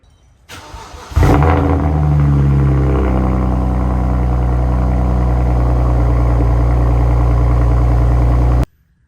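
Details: BMW 335i E90 after throttle body replacement and adaptation reset, which fixed limp mode / lack of power on acceleration: cranks and catches cleanly, flares briefly, then settles to a smooth, steady idle with no stumble or rattle.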